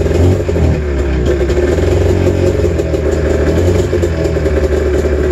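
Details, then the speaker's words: Snowmobile cold-started at 28°F early on an October morning. Lumpy, uneven fast idle with a missing beat and rattle, as if firing on one cylinder, starting to lighten up. Owner suspects the gas. "so sounds like it's running on one cylinder oh you can hear it a little bit it's starting to lighten up"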